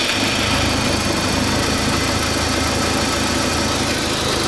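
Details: 2004 Audi A4 B6 1.8T, after a new water pump (cracked impeller, overheating) and new timing belt: the idle throbs unevenly under a loud hiss and never settles. It is a rough idle with no clear cause.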